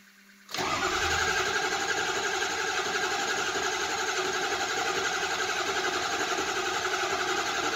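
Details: 2005 Ford F350 6.0 diesel flatbed, cold start. A quick catch, then several seconds of smooth, even cranking without clearly firing; long crank, though the crank sounds too even for a bad cylinder.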